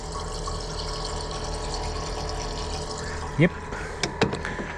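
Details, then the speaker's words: Truck camper diesel after a backcountry fuel repair where it was sucking air; key on, the electric lift pump primes and should self-bleed through the return line; steady hum, fuel trickling, a couple of clicks, with loud compressors nearby; priming normally. "It's running. I can hear it. My compressors are loud. I got to put my ear right to it. But it is running fuel."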